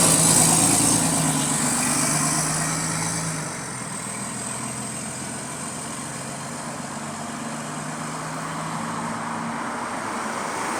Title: Exhaust Leak | GAL E210 On Bus Route 89 (3)